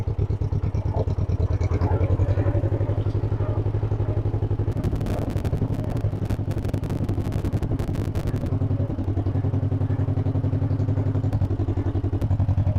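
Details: 1958 John Deere 420W two-cylinder tractor, cold start, probably starting to warm after early stumbling; deep slow even putt-putt about 220 beats a minute, no misses: normal smooth idle.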